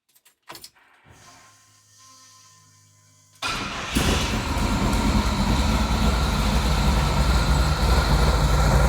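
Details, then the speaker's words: Chevy ZZ6 EFI crate engine in a 1955 Chevy, warm, after setting fuel regulator to 58: short crank catches cleanly, settles into deep, even, steady V8 idle; slight exhaust leak noted. "I'd love to share with how nice this thing sounds."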